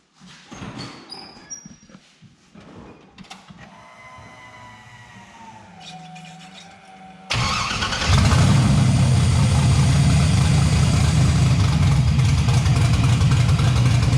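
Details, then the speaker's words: 1971 Oldsmobile Cutlass LS-swapped V8, first start after head off and bad lifter fixed with new aggressive "Chuck Norris" cam, tune possibly off, a header flange off; loping choppy idle near four lumps a second; normal lumpy cam idle. "all right that's one of them sounds good pretty choppy yeah it's pretty choppy choppy chubby uh we got the new cam in it's the Chuck Norris cam it's I think it's going to be a lot choppier than the old cam"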